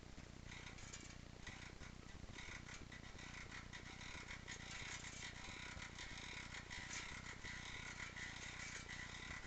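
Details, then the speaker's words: Stels Navigator 300 road bicycle: dry uneven ticking two or three times a second from the rear hub while pedalling, stops when pedalling stops, appeared suddenly; rear hub knock. "Что это может быть? Только педаль отпускаю, и звук пропадает. Сегодня только что появилось такой звук."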